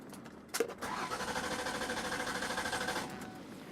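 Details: Mercury Sable crank, no start; even cranking at about three turns a second with steady compression pulses but no firing.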